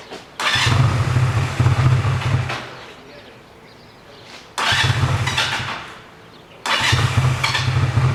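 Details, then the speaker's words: 1985 Honda Rebel with 2000 miles, first start after 17 years, warm at half choke: fires and runs roughly about two seconds then dies, three times, dying whenever the choke is pushed in; clogged carburetor, crust found on teardown. "As soon as I push the choke in, she dies. So I think the carburetor needs to be taken out and cleaned up."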